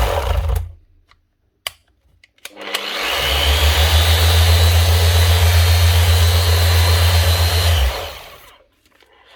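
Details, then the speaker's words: Makita BO6050 750 W orbital sander after repair of smashed gearbox teeth, running in power (gear-driven) mode: spins up to a steady, even hum with no grinding or knocking; normal running. "So that's it. Oscillating and forcibly turning as well."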